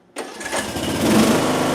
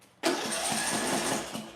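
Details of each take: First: Mower engine in a coil air-gap test at 0.015 in gap, possibly not warmed up, blades engaged to load it: pull-start catches quickly, steady even drone that bogs slightly and holds under blade load; runs fine. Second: Small engine with ignition coil air gap set wider than the recommended 0.010: brief burst of engine noise fades within two seconds and it won't keep running; too-wide coil gap gives weak spark.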